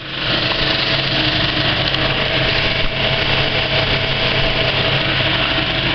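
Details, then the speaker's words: Kinoton FP30D cinema projector with Speco LP270 platter, running the end credits while well threaded: a steady, even mechanical whir with no harsh chatter. A poorly threaded wiggle loop would sound harsh instead; normal running. "when it's threaded up really well it's got a really nice so"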